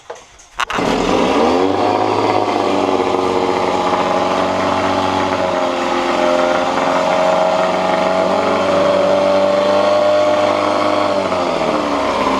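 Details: 1986 Johnson J4BRHCDE 4 hp Seahorse two-stroke outboard after head gasket replacement and carburetor cleaning, slightly warm, no choke: catches on first pull and settles into steady, even idle with no misfires; healthy.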